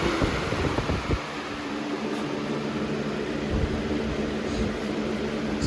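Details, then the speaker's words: 2005-06 Lasko Premium box fan model 3723 on high: steady, even whoosh with low hum, no rubbing or rattle; normal running. "this fan is very powerful and very fast for what it is"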